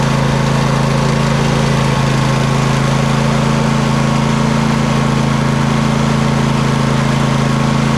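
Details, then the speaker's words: Poulan Pro 700EX riding mower twin, both spark plugs reconnected after single-cylinder tests: steady even twin-cylinder idle, no misses or pops; smoke burning off long-unused cylinder, working properly. "Well, besides all the smoke rolling off of it, burning off of that side that hasn't been ran in quite a long time, I would think, everything's working properly."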